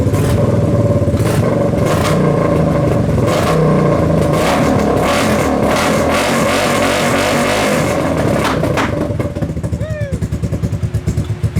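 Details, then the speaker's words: Kawasaki KFX700 quad on fresh gas runs with uneven sputtering and irregular pops through the intake as the throttle is worked. Carb cleaned, spark confirmed, timing chain checked; owner suspects stuck valve or timing chain. "Still is backfiring into the intake. It's a little more responsive on the throttle at least."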